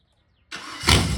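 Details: 302 V8 budget-build engine, temporarily hooked up, no coolant, about 12° timing and 16 inches of vacuum, recorded from outside: quick crank, then it catches cleanly and runs strong and steady with no misses or knocks.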